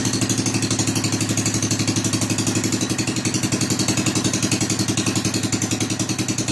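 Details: Rebuilt Kohler K241 10 hp single-cylinder installed in a John Deere 210 garden tractor, no muffler, restarted after priming carburetor: loud, sharp open-exhaust popping at steady, even beat, no knock or miss; normal running.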